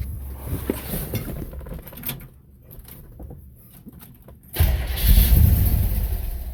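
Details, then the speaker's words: 1964 Chevrolet Impala, first start after swapping the original Rochester 4G carburetor for a new Edelbrock 600 cfm 1406 on an adapter, timing at 28°: cranks and fires, then a loud, fast, uneven, lumpy idle; idling too high. "Well, the thing was I did notice it was just idling high as hell."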